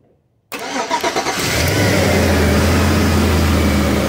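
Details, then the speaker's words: 2004 Chevrolet Silverado 5.3 V8 that would not crank: quick rhythmic cranking about a second, then catches cleanly and settles into steady, even idle; starts fine. "la troca prende muy bien ahí prendió"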